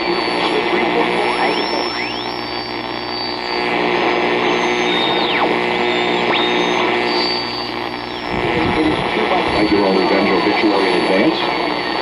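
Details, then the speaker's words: 1962 Zenith Royal 2000 all-transistor AM/FM portable radio, bought at auction: whistling tones sweep up and down over a hissy station, a steady interference squeal the owner suspects comes from a switching power supply. "I wonder about that some of that squealing in water and robably a switching power supply"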